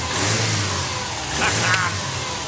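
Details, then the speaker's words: Barn-find Subaru Brumby with EJ20 engine, first start during restoration: a quick throttle blip rises cleanly and settles back smoothly, with no knocks or misses; normal rev. "well done Brumby everybody ej20 power Brumby listen to it give it a little rev"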